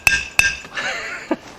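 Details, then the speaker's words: 1971 VW Karmann Ghia front disc brake and drop spindle upgrade, tapping the second hub bearing race in with a socket: sharp hammer strikes ring with a clear high-pitched tink, the tone change showing the race has bottomed out, fully seated. "so up there it is high pitched tone"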